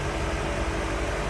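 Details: 1955 Ford Thunderbird, stock 292 V8, hood open, battery recently replaced: even, deep low rumble with a steady beat and no ticks or stumbles, very smooth running; normal idle.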